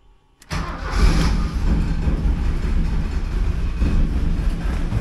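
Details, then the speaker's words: 1979 Porsche 924 first start after rebuilding the fuel distributor; the fuel pump is running. The starter catches and the engine fires into a low, uneven, lumpy run with wavering loudness. "it starts. Doesn't run worth a shit, but it starts."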